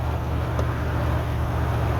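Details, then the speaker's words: 1988 OBS truck, warmed up: a low, uneven rumble with a choppy, stumbling beat. The misfire persists, so the earlier fixes were not the cause; it later stalled and wouldn't restart. "Ooh, we don't sound happy. Hoping as it warmed up it would clear up a little bit, but it sounds just as unhappy as it normally does."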